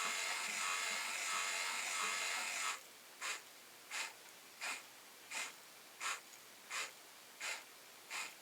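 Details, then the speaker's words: Lyman Gen 6 powder dispenser/scale buzzer after second fix attempt, more glue inside the buzzer: short high-pitched beeps about every 0.7 s, clearly quieter than before but still sharp; only partly muffled. "Well, that is definitely a bit quieter than the uh the first attempt. It's certainly not silent by any means, but it's quite a bit quieter than it was before."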